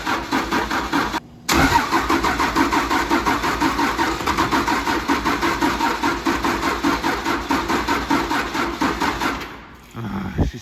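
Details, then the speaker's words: 1953 Mack A40 with a swapped 24-valve 5.9 Cummins diesel, starter possibly smoking. A long run of even cranking with a short break and a retry, but it never fires: cranking, no start, "so close". "she's so close"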